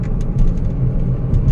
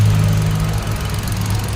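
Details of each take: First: 2017 Hyundai Accent after misfire repair, road test while driving: steady low engine drone under road rumble with no stumbles or dropouts; misfire counts on all cylinders now zero, pulling normally and running smooth. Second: 2017 Hyundai Accent, ignition coil already replaced but still misfiring; lumpy stumbling idle with dropped pulses; one cylinder's coil gets no firing, coil socket suspected.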